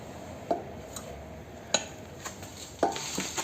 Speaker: Então faz esse barulho da folga da haste. Se a gente perceber a haste movimentando aqui, ó. A gente percebe um pouquinho de movimento aqui, mas o movimento maior é dentro do êmbolo do amortecedor batendo na parede do amortecedor.